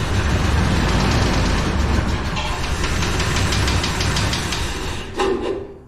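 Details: 1999 Chevrolet Tahoe, sat about 14 years, first start on fresh fuel: long crank catches into a rough idle with heavy irregular knock, three to four a second, 60 psi oil pressure, some smoke; engine blown.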